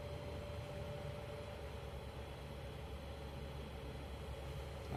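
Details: Hot air oven after opening the fan section and refitting/tightening the worn fan that had been making noise; smooth even hum with faint steady tone, no rattle, scrape or knock: fan running normally after repair.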